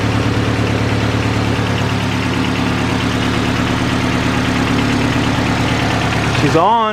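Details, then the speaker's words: Honda Civic first start on an eBay turbo kit after fixing a water leak: even, steady idle with a smooth regular low beat and no misses or knocks; runs clean. "I'm gonna start it up so yeah time for the first start with this setup"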